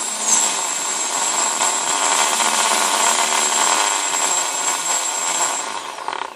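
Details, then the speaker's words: ZMR250 racing quadcopter, retested after motor wires were swapped to fix rotation direction following a crash arm replacement. A smooth, steady, high-pitched brushless-motor whir with no scraping or ticking confirms the motors spin the right way and sound healthy. "so let's test this again make sure it's spinning the right way and it is"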